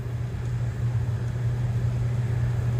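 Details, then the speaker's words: 2004 Suzuki XL7 blower motor after Stabilant 22A applied to a faulty connector that made it cut out: constant low, even fan hum with no dropouts when the connector is wiggled; works much better, slight cutting out still possible. "it doesn't cut out anymore. I put Stabilant on there. It seems to be working pretty good."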